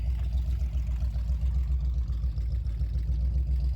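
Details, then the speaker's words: 1976 C3 Corvette V8 after carburetor rebuild: deep burble rising and falling smoothly with throttle, crisp response, no misfire, pop or stumble; normal running. "Looks good, sounds good, nice and clean, running really well."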